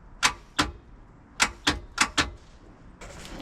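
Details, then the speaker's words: $500 used boat, first key turn: sharp single clicks in small groups with no starter spin; upper starter solenoid clicking, almost engaging, no crank; starter suspected bad, ignition cables disconnected. "sounds like that upper solenoid clicking so it almost engaged right there"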